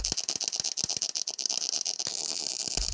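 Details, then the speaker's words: MIG welding with excessive wire feed speed and not enough voltage to melt off the wire: harsh, uneven spittering crackle with sharp pops instead of a smooth sizzle, gun pushed away, spatter splashing along the plate. "you can kind of hear this spittering and spattering and it almost feels like the weld wants to push my wire away or my gun away and that's because there's not enough voltage to melt off that excess wire so that wire has to go somewhere and eventually it just sort of splashes along the plate"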